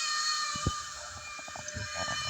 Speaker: uh so I think the sound of it has definitely definitely improved uh but it's still quite noisy as you can